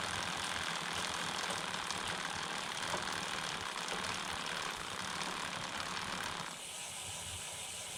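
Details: Homemade short-wheelbase bike, 39-tooth front and 11-tooth rear, chain keeper off, camera one hand length away: smooth, fairly quiet chain whir with light even patter over idler; normal drivetrain, about 10 dB quieter than with keeper.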